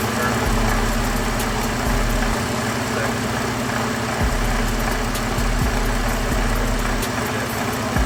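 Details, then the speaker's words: 2013 Ford F-150 3.5 EcoBoost at idle, also showing code P025E. Loose, irregular rattling ticks, at first mistaken for the electric fans, come from the water pump: its bearing wobbles badly and it was already dripping coolant. "There we go, guys. I found a rattling sound. I thought it was the fans at first on this truck, but it seems to be the water fl"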